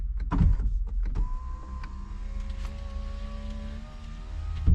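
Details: Fiat Ducato camper van electric window: even motor whir at steady pitch for about three seconds with a soft clunk at each end of travel; window motor works normally.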